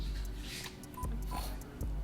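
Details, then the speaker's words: Frontline Foam BK1 blaster stuck after a plugged barrel slowed the bolt; trigger held five seconds: two short mid-pitched beeps about a third of a second apart over background music, the double-beep code for a stuck cycle. "and then you have a double beep, which means it's cycle is stuck and you got one beep indicating it switch to fire mode"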